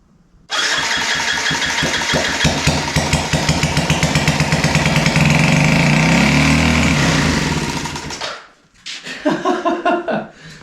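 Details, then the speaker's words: Yamaha restoration engine, first start after checking compression (about 160–165), no muffler fitted: catches at once into a loud, rapid, fairly even unsilenced beat, then shut off; running normally. "yeah that's awesome all right guys I am so super stoked about this holy cow it's running"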